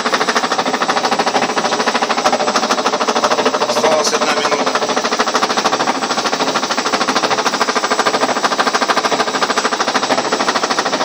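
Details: Ariston washing machine during spin: sharp, even knocking about 200 per minute that grows louder as the drum gains speed, though the machine stands still without shaking; suspicious unexplained knock, something loose in the drum assembly.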